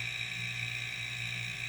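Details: Homemade silent airbrush air compressor, running after the ineffective water/oil separator was removed: quiet steady hum with a faint constant motor buzz and even high whir, no knocking or rattles. Pump running healthy.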